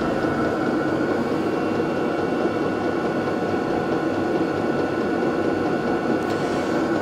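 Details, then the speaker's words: Vevor 12 V 8 kW diesel air heater, measured about 63 dB at 1 m, fairly quiet versus other parking heaters: steady whooshing blower roar with faint constant high tone; normal running. "in 1 m Entfernung haben wir ungefähr 63 DEB wenn man sich normal unterhält ist es ungefähr zwischen 50 und 5 50 debel also recht ordentlich im Vergleich zu anderen Standheizungen ziemlich leise"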